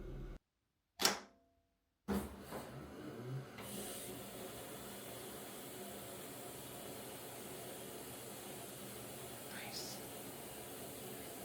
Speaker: This time when it dispenses, it's very quiet and it runs very smoothly.